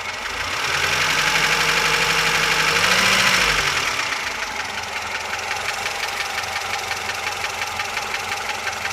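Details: VAZ 2107 engine: rapid, even tapping knock about four times a second riding over the idle; engine knock of unknown cause.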